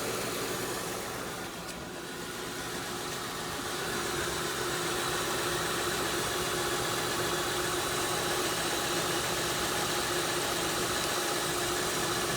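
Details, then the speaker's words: 2002 Kia Sedona after replacing the power steering pump, belt and idler pulley: steady even idle hum, no ticks, squeals or knocks; running smooth, no leaks. "looking nice and smooth i don't see any leaks other than the mess that i made taking all this stuff apart"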